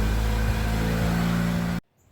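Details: 2004 Toyota Matrix 1.8L with about 219,000 miles, after new platinum spark plugs. Engine runs smooth and even with a steady low hum and no misfire stumble before shutting off; normal running.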